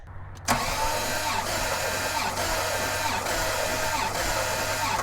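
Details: Abandoned, stripped 1989 Bentley Turbo R compression test: steady even starter cranking with regular pulse about once a second; cylinder reads 145 PSI, called good, though another reads 170.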